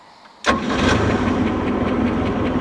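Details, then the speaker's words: 1967 Starcraft Holiday with 120 hp Mercruiser I/O four-cylinder and PerTronix ignition, warmed up: barely cranks before catching instantly, then a smooth, steady idle. Normal quick start; a ticking noise still needs fixing. "That's the way she should start. Just bump it over and she's running. Oh, we got ourselves a good runner here."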